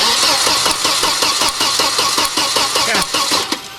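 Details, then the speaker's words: Volvo 940 turbo wagon no-start: starter churns steadily about two or three compressions a second with no firing; spark confirmed and air fine, so fuel missing, fuel pump suspected as usual cause on these Volvos. "we've got spark we see lightning jumping across so what we're missing is fuel um 95 of the time on these old volvos it's actually the fuel pump"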